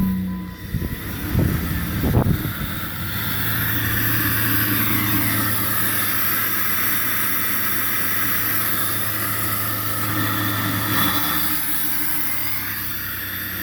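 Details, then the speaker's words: 2003 Jeep Grand Cherokee 4.0, first start right after replacing the failed idle air control (IAC) valve (check engine light was on): a few cranking pulses, then it catches and settles into an even, steady idle with no misses; normal start and idle. "all right so the next thing to do now that we know it runs put the airbox back together and we will take it for a test drive"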